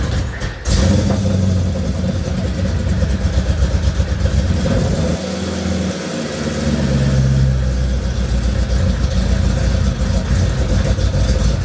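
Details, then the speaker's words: Mercedes CLK55 AMG with M113K swap, new Hellcat fuel pump, rail pressure about 55–62 psi, cold start; catches and runs lumpy, dips and stumbles near six seconds with backfire, then recovers; owner suspects sitting, unconfirmed. "all right for whatever reason on those cold starts it's being a little bit weird it's like real jumpy and then it does kind of like a backfire and then uh comes back to life"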